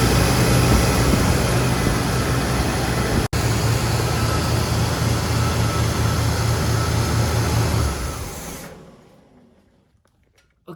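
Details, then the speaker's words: 1981 Chevrolet Corvette Turbo V8 barn find, after ~30 years, idling after carburetor rebuild and new radiator install with flush and distilled water fill; steady even burble, no knocks or misses, good throttle response; small valve cover leak noted; normal idle. "guys so she's purring like a kitten the throttle response is very good now with this cabaret tea being rebuilt"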